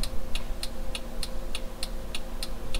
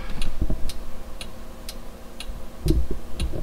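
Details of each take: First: 2002 Toyota 4Runner after LED bulb conversion with a new adjustable flasher relay, engine idling: crisp relay clicks about every 0.3 seconds, turn signal still flashing too fast before the relay is adjusted. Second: 2002 Toyota 4Runner after LED turn signal conversion, flasher relay speed screw adjusted to fix hyper flash: crisp, evenly spaced ticks about twice a second; normal turn signal flash rate.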